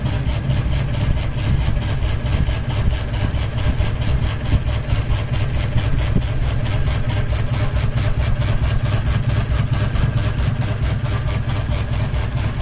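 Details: Ceiling fan running with one blade and a ball hanging off it, steady low hum with a regular thump about twice a second from the out-of-balance blade; rhythmic wobble noise.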